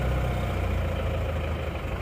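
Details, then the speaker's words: Isuzu Panther 2.5 diesel after a broken shaft, with a non-original timing gear one and a half teeth off, now advanced: it starts immediately and idles cold with steady, even clatter, no knocks. Normal diesel idle. "Nah langsung hidup teman-teman nah mesinnya seper juga sudah hidup seperti ini"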